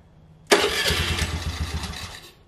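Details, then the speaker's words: 2022 Honda Navi 110, first cold start at about 45°F after fitting an MNNTHBX intake and crankcase filter: a quick crank, then an even, slightly fast choked idle. A healthy start with noticeably different induction noise. "i'm going to let the bike warm up but already i can definitely hear the uh tell the difference in the induction noise"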